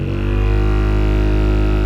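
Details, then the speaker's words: Honda Pilot/Acura MDX front HVAC blower at high fan speed: a loud, steady low droning hum with a throbbing beat. Vibration comes from the passenger side under the glove box; the worn blower motor is to be replaced. "this honda pilot has a very loud fan when i turn it up you'll really hear it"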